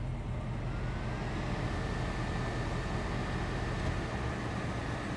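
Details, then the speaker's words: 1966 Ford Mustang convertible, three-speed, 7,820 miles on the odometer (true miles unknown), idling: the AC compressor engages with a faint steady whine over a smooth idle, no grinding or rattle, and it blows cold after the shop repair. "I don't know if you can hear that the compressor are just engaged and it's blowing real nice and cold so kudos to the guys at the shop for getting that going"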